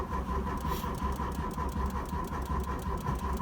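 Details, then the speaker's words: 1986 Volkswagen Cabriolet project: steady starter cranking with slightly uneven compression chug, never fires; cranks but won't start, owner suspects the fuel pump, spark unconfirmed. "so she is cranking but i don't want to crank it for too long i don't want to burn my starter out"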